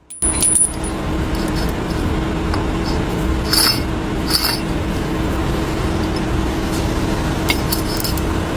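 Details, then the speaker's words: Removed wheel hub, spun by hand, gives continuous rough gritty grinding with faint hum and metallic clinks, too much play, same noise as heard while driving; worn hub bearing, replaced with new hub. "Spin it. Hear that rough grinding? That's the noise you hear while driving."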